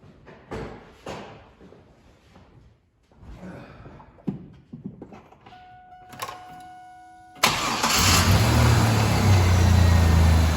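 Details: 2000 Chevrolet Camaro started after a new battery and repaired battery hold-down; some clatter and quiet, then it catches at once and settles into a smooth, even idle, starting and running healthy.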